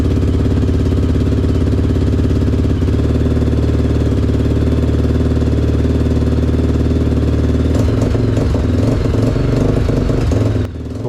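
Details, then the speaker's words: 2003 Honda 400EX after a top-end rebuild with new piston rings and timing chain, first start: single thumps at a lumpy idle, then the beat stumbles and breaks up on throttle; bogging persists, traced to the carburetor's wrong needle. "Unfortunately, the fresh piston rings and timing chain still didn't solve the bogging issue."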